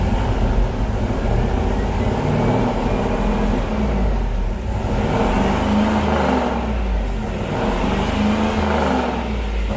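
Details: LS-swapped El Camino (G-body) after the transmission was pulled and reinstalled; the suspected leak was traced to the oil pressure sensor. A steady, even engine note with a deep low rumble and small swells as gears are selected on the lift. Normal running.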